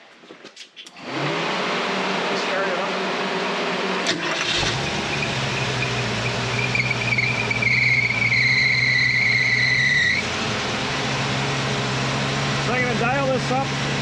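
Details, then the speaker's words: 351 Cleveland V8 in a 1979 Mercury Capri, being tuned after a stuck distributor and badly off timing: it catches and settles into a fast, steady idle that won't drop to about 800 rpm; a carburetor problem is suspected of holding the idle high. "It won't idle at like 800. Something with this carburetor won't allow it to idle down that far."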